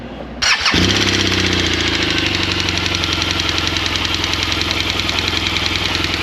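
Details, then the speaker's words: 2016 BMW R1200 GSA boxer, right after startup at idle: loud sharp metallic tapping at a fast steady beat; worn groove in intake cam lobe shortening intake valve travel, rocker arm failure. "so basically that cam is not pushing the intake valve all the way in so the intake valve travels real short because of the groove in the cam and it just is tapping so loud"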